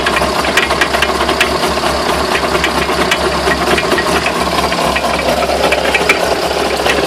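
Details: Irregular sharp knocks and rattles over a steady engine drone. Owner asks what the knocks are and whether the drive shafts could be bent. Cause suspected, not confirmed.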